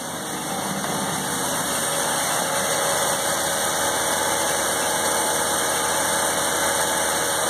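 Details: 1984 Mazda RX-7 12A rotary, revived after sitting 13 years, just cold-started at 47 degrees on the block: a steady, slightly raspy idle holding an even fast speed with no misses, warming on choke.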